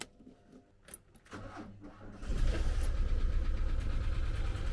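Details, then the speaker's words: 1985 VW T25 camper non-runner, carburetted, sparking down low: weak uneven cranking about two seconds before catching into a rough idle; owner suspects a power problem causing hard starting. "definitely a power problem really keeps sparking down here I don't think it's got good enough"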